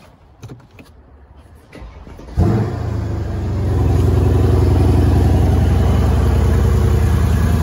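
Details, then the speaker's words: 2014 Mercedes W212 E63 AMG after replacing the stock air filters with oiled K&N filters: starter catches, engine flares then settles into a deep, steady, even idle with a nice induction sound; sounds healthy. "Nice induction sound there as well. So that's all sorted."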